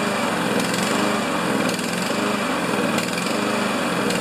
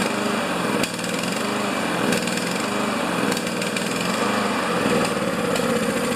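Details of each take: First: Honda GCV engine on a Honda/Craftsman MTD mower, started during a tune-up with its semi-automatic choke: a quick, even putter at steady speed with no surging or stumbling; the engine runs normally. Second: Honda GCV engine on Craftsman MTD mower, just started with semi-automatic choke after tune-up, replacing a carbon-crusted E3 plug: single-cylinder beat surges and stumbles instead of holding steady; carburettor to be checked, cause unconfirmed.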